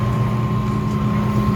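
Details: Apartment dishwasher, reported leaking at the door, switched to drain after most of a cycle with no leak found: steady even pump drone, clear mid-pitched hum, no gurgling or rattle; normal drain cycle.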